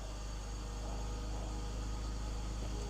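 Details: 2006 BMW X3 (E83) with M54 six-cylinder, after replacing both belts and two pulleys, at 21 °C: even, smooth idle with no belt chirp or squeal from the accessory drive; normal idle.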